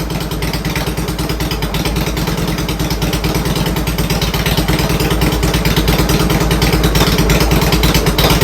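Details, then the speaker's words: Harley-Davidson Twin Cam after fuel pump replacement and installing an Accel coil-on-plug ignition: lumpy V-twin idle at about three beats a second, steady with no misses, light ticking; runs great after the install. "She's back, baby! Woo! I'm psyched about that. It worked great. Let's have a look. Just tick, tick, tick, tick, tick, tick, ticking."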